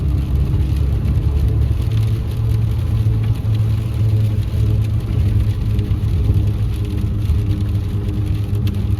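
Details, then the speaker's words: 2016 Ford F150 2.7L V6 twin-turbo 4x4, after rear end bearing rebuild, driving on road: steady even whine under road roar, felt in the gas pedal, not mud tires; front axle noise later traced to failing front 4WD actuators. "It kind of sounds like a gear whine, or maybe a little bit like a mud tire whine, but it definitely is not. It's not mud tires, because you can actually feel it in the gas pedal and everything."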